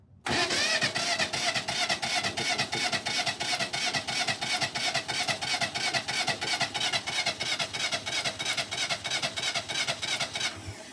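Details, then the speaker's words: Kubota L210 diesel tractor after starter replacement, cold day, glow plugs used 5–10 seconds, weak battery: strong, even cranking about three beats a second for ten seconds but never fires; cranks but won't start. "Well, it just doesn't want to start for me today, which is the typical for this."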